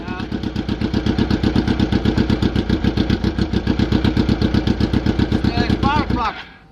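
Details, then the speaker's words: 2003-2004 Suzuki GSX-R 1000cc first start after 5 hours sunk, oils and gas changed, spark plugs left loose: lumpy, stumbling idle running on only three cylinders, one cylinder misfiring. "Okay, let's go. Oh my god, oh my god. Woo! Only 3 cylinders."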